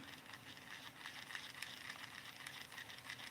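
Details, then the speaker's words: Kingdom Micro Monster baitcasting reel with shallow spool: soft, uneven ticking rattle, about three or four a second while the handle turns, from somewhere inside the reel; source not found despite disassembly. "I've had this real apart a couple times trying to figure out what noise there's a noise that's just not there"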